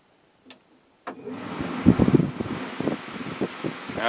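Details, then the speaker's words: Atwood Hydroflame propane furnace in a Lance 825 truck camper, newly wired to an Airxcel digital thermostat set to heat at about 70°F: relay clicks, then the blower spins up to a steady whooshing rush with no scraping. Normal furnace start-up. "We'll set it up to like 70 degrees. Flip it over to heat, and our heater should come on."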